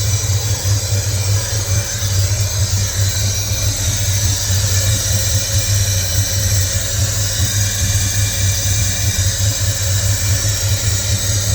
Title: Can someone please tell me what that hissing noise is